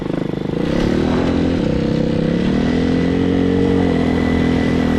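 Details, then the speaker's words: Hawk 250cc motorcycle after wiring harness replacement, carburetor issues, won't run properly choke on or off: fast steady buzzy run that never settles to normal idle, running wide open; high idle, carburetor suspected. "you can hear it, it's running wide open."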